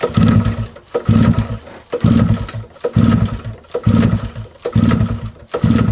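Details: Mid-1990s Suzuki LT50 two-stroke quad, unstarted for months, old petrol, old spark plug before cleaning: small engine surges and sags about once a second, catching and fading unevenly instead of holding idle; rough running, plug suspected.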